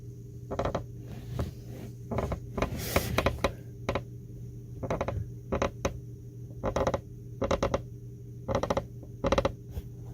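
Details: Tesla Model 3 Highland seat creaking: short bursts of dry, crackling creaks repeat over a low steady hum as the seat is shifted; noise first blamed on the seat rail, which turned out wrong.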